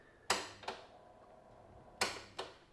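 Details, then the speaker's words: Hitachi TRK-8800 1980s boombox cassette deck before repair: pressing play gives pairs of sharp clicks with silence, no motor or tape run; mechanism fails to engage, needs cleaning, lubrication and new belts (suspected, not confirmed). "all right so basically nothing much is happening with this needs a good clean needs a Lube needs new belts"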